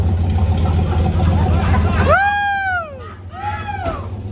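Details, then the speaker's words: LS V8 in a truck, restarted after a crash and an insane backfire; deep even rumble, sounds like it's running on all eight, with shouting over it, though damage is being assessed. "LS. And it sounds like it's running on all eight."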